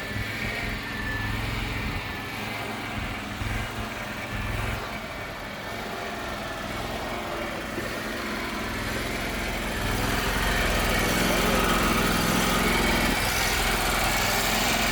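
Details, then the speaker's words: Circa-2006 Gravely 260Z zero-turn mower with a Kawasaki engine, before its carburetor was replaced: the engine hunts at a high idle, speed wavering up and down instead of holding steady, as it has for years; the owner suspects the carburetor. "I've got a probably a 2006 something like that uh Gravely 260Z that the engine is some people call it surging hunting RPMs are going up and down kind of at a it's kind of a high idle and it's just really annoying just going up and down."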